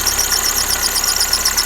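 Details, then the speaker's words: Lada Kalina at idle, under-hood: steady high shrill squeal pulsing rapidly as worn alternator belt, one rib torn off, presses against the right flange of misaligned tensioner pulley; fix is realigning pulley and replacing belt. Belt squeal. "Ремень прижался к правой боковинке и терется, и тем самым создает звук."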